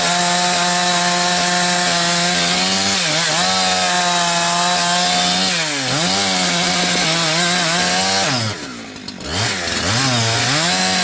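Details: Husqvarna 362XP Special with wrong ignition coil and Walbro carb, cutting firewood: high scream keeps sagging and gargling near top revs, cutting out around 11,500–12,000 rpm, barely 10,000–10,500; fine near 9,000 rpm in big wood; not carburetion, four-stroking at coil rev limit.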